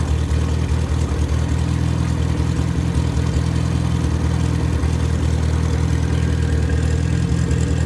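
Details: Rebuilt MG Midget 1500 engine (same as Triumph Spitfire) with flat-top pistons, 270 cam and head shaved to 9.5:1 compression, run-tested without a muffler; loud unmuffled four-cylinder settles into a steady, even idle with no knocks or misses. Normal idle.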